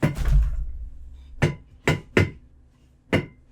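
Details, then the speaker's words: Gaming chair swiveling: low creaking rumble, then four sharp hollow knocks. Fixed with grease. "my chair is absolutely apart for me knocking the table knackered so I'm gonna show you how to fix that today"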